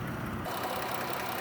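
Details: 2015 Dodge Caravan SE mobility van, 3.6 V6, 59,972 miles, idling with the hood up: soft, steady hum with no knocks, ticks or misses; normal idle.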